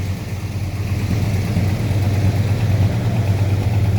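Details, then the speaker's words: 1981 Chevrolet El Camino V8 with computer-controlled Quadrajet, running on about 20-year-old fuel topped with fresh gas: low, steady burble at a slightly high idle, popping a little; runs evenly but idles fast. "all right it's running idling a little bit fast but not worried about that"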